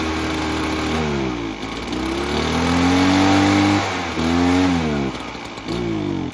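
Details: Echo PB-403T two-stroke backpack leaf blower that sat for years and had only run on half choke without revving: after repair, crisp clean revs rising and falling evenly. It now runs healthy.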